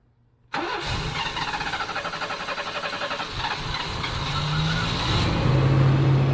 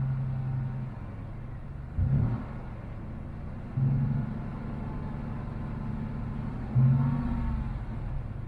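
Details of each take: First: Fuel-injected GMC Typhoon, first start after sitting over 10 years, with transmission fluid in the cylinders; it cranks, catches and stumbles with lumpy, uneven firing before smoothing slightly, rough start and misfire. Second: GMC Typhoon, first start after sitting over 10 years, still cold; a low, steady idle with brief throttle blips that settle straight back, still blowing a little smoke that may be residue burning off, normal idle.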